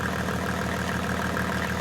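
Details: Mercedes OM606 diesel with calibrated injector pump, warm at about 70°, after stuck injector misfire cleared: even clatter at steady idle, no stumbles or missed beats, returns to idle fine and runs smoothly.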